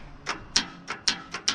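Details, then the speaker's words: Belarus 250AS diesel tractor with a replacement aftermarket starter, compression release pulled: six sharp, dry clicks about four a second and no cranking. The starter overheats after long cranking and only clicks, still too hot to turn. "if your tractor doesn't start right away it it overheats and then it just sits there and clicks"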